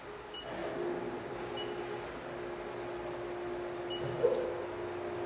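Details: CNC milling test cut after the chatter demonstration, changing only spindle speed: a steady, clean cutting tone with no screech or rising squeal over a quiet shop. A stable cut without chatter.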